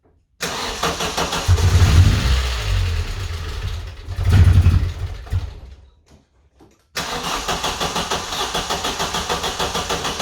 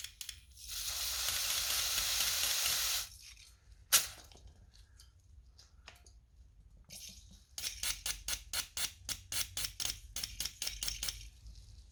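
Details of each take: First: 1994 Vauxhall Astra GSi, C20XE Red Top engine, cold start after injectors were removed and cleaned and a new battery fitted: cranking with stumbling catches, a pause, then lumpy idle pulsing about four times a second, attributed to air in the fuel system. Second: 1994 Vauxhall Astra GSi C20XE fuel injector on a cleaning kit bench, pulsed by tapping battery positive: steady hiss then quick sizzling bursts, clicking, spraying cleanly, a clean injector.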